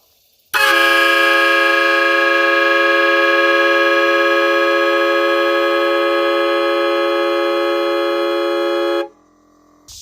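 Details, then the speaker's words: Chevrolet Silverado 5500HD after an air horn was fitted in place of the weak factory horn, with the compressor freshly pumped up: a loud, steady, bright horn tone held for about eight seconds, then cut off cleanly. "Alright, so there you have it. We got an air horn on here instead of the other sissy horn that was on here."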